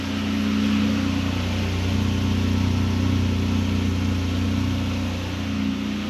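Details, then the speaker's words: Nissan Frontier with new Overland exhaust kit and Z1 intake, unloaded idle; deep, steady exhaust hum with an even unbroken note, not overly loud, no ticks or rattles: healthy idle. "It's just that nice little hum. I have to get it out and get some load on it to get a true sound, but so far I'm into the idle, not being too overbearing."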